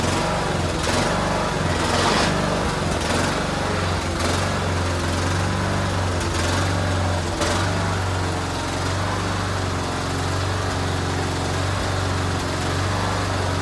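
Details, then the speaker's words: Cub Cadet LTX1040 riding mower after the carburetor leak was fixed: the engine runs steady while a loose slapping thump comes about once a second; the drive belt keeps slipping and won't go into gear, though the mower ran and drove when parked. "As you're able to see, it seemed like the belt kept slipping. It didn't want to go into gear."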